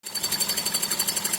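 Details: Running engine with a sharp, rapid, even metallic knock about twelve to thirteen hits per second, appearing after a drive; owner unsure if valves or clutch; earlier a belt-like squeal at water pump on startup, owner asks whether pump could knock; cause unfound.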